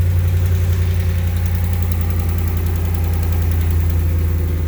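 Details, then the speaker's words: 2014 Ram 1500 ST 5.7L Hemi, 63,000 miles, cold start at about 80°F ambient: light, uneven valvetrain ticking under the idle rumble, caused by a broken valve spring. "Got a ticking, tapping, clicking, whatever you want to call it, on a cold start."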